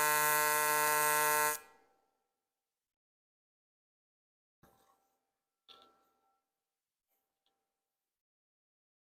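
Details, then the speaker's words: YesWelder CT2050 multi-process welder, AC TIG on aluminum at 150 Hz AC frequency: steady high-pitched buzz for about 1.5 seconds then silence; normal AC arc buzz, little difference from 100 Hz. "We still running that 150 hertz. You can hear that really high-pitched buzzing."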